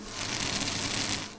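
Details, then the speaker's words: Centrifugal pump cavitating on a variable-speed series and parallel pumps bench-top test set: dense, gravelly crackling over a steady pump hum; cavitation puts pressure on the pump and may reduce its life, a situation to avoid. "so this may reduce the life of your pump so this is like the situation you want to avoid"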